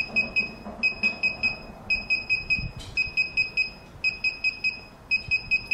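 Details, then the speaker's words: DJI Phantom 3 remote control during an automatic firmware upgrade after v1.3.20: rapid bursts of high, clear beeps about once a second, with the far-left status LED solid blue. This is normal update signalling. "so right now it's beeping as you can hear and the status LED and the far left of the remote control is solid blue"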